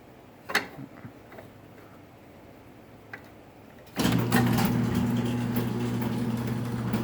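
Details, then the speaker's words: Raynor 270-7 garage door opener on a small door, chain maxed out and nearly too long: steady low motor hum with quick, uneven pops from the front drive chain as the door moves; chain popping, owner plans a front roller. "Hear that popping? That's the chain up front."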